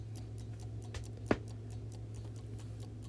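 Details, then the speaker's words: Vintage Coca-Cola electric rewind clock after its failed mainspring rewind motor was replaced and wires resoldered to the correct terminals: even, light ticking about five per second over a faint mains hum, no skips; waiting to see if it rewinds itself. "I have now got the wires soldered back on their correct terminals on the replacement motor and it's ticking now to see if it will rewind all by itself"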